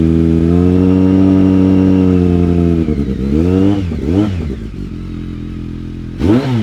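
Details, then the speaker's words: BMW K1200R after booster plug, new spark plugs, coolant purged under vacuum and final drive fluid: clean even engine note through quick blips, no longer sounding like it's missing; running healthy. "morning that sounds better than it did guys I'm not getting it used to sound like it was missing and it does not sound like that anymore"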